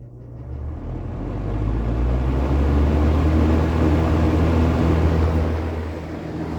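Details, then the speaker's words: Late-1970s first-generation Kmart (Lakewood) K-223 20-inch box fan with McMillan motor, recorded at the back by the motor: low hum rises smoothly over about two seconds to a steady even drone, no rattle or scraping; normal motor startup. "so now I'm going to hopefully capture the startup sound on camera here I'm going to go around to the back by the motor and turn it on"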